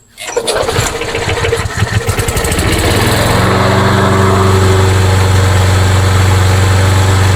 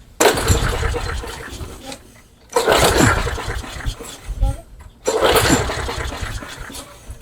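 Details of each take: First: Craftsman mower, single-cylinder engine with a hard-start issue: catches after a few rough pulls, then a steady, even putter with no misses; runs fine, carburetor to be checked for starting. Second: Craftsman mower that customer says won't run, with carb spray into the intake and an E3 plug: three pull-starts, each a short burst of cranking dying away without catching; cranking no-start, spark not yet confirmed.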